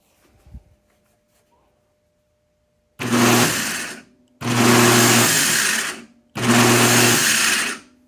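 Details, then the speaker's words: Three smooth, high whirring bursts spinning up freely with no grinding, heard on the bench after rebuilding a Delco 10MT Chevy starter with a new solenoid kit and Bendix; powered from a charger, solenoid terminals bridged so it engages and rotates. Healthy starter. "All right, that does what we're expecting. Now if we want to test the full operation, you put power here, and then if we bridge these two, it will both move out and rotate."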